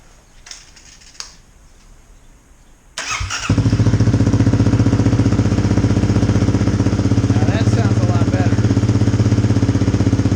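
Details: 2018 Kawasaki KLX250 single with new FMF Q4 slip-on exhaust, silencer insert fitted, mid-pipe joint resealed after it made a racket; fires up into a loud, steady, even thumping idle with no puffing or ticking from the joint; normal.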